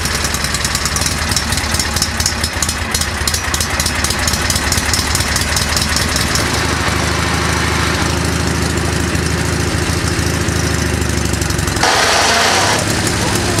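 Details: Mule with Peerless 930 transaxle after hard riding: engine idles under harsh gritty grinding and uneven knocking in all gears including reverse; stripped pinion and bevel gear teeth.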